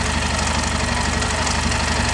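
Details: Yamaha Ténéré idling steadily with a regular tapping knock on every engine turn; abnormal engine noise, cause not identified.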